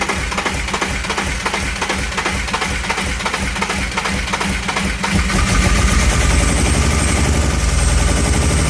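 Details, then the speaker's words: BMW E36 328i on first start after refit of battery, water hoses and airflow meter: rough, uneven running with irregular stumbles about three a second and popping; misfire apparently from stuck injectors leaving cylinders dead. "C'est bien ce que je pensais. Injecteur. Injecteur."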